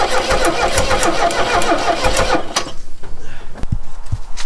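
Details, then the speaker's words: 1969 Renault 16, first start attempt in years on rigged external fuel supply: heavy starter churning under three seconds, a few scattered thumps, never fires; cranks, no start. "Can't smell any burning. That's a good start. So that didn't work."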